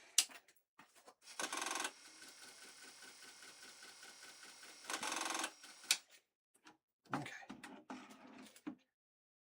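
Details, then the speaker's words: Apple III floppy drive on boot attempt: spins up in bursts with harsh chattering and knocking between quiet gaps; drive head banging around, drive condition and disks unconfirmed. "I just know it's banging around. Oh, that sounds awful. That feels awful, too."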